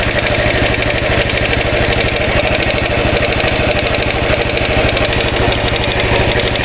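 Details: 2013 Royal Enfield Classic 500 single-cylinder, idling after engine teardown and removal of stray M5x35 bolts, checked with a screwdriver stethoscope: the decompressor noise is gone, but a dense metallic rattle rises and falls slowly over the firing beat. Origin unknown.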